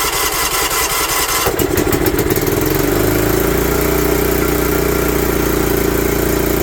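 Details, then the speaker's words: John Deere LT150 barn find sat for years, carburetor empty and fed by fuel pump, no air filter, battery charger attached: starter churns unevenly about two seconds, then catches and settles into steady even run; started once fuel reached carb. "uh remember the carburetor is empty it's got a fuel pump so she's going to have to crank a little"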